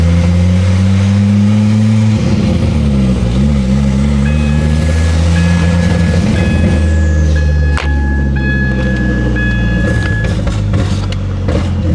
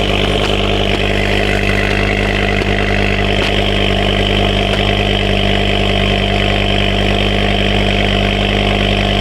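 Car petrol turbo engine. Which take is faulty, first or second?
first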